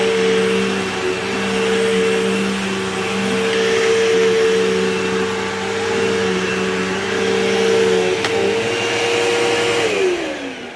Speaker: All right, and I can definitely hear that thing picking up stuff over here, so that's pretty good.